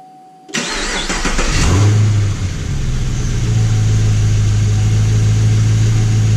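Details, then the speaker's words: Camaro SS V8 first start after fitting a 5.0 Mustang K&N cold air intake: cranks, catches cleanly, flares briefly, then settles into a deep, even idle with no misses or odd noises; normal start, owner finds it slightly louder and deeper. "Alright guys, got everything hooked up. Tightened down, so gonna give it an initial start and make sure everything sounds right."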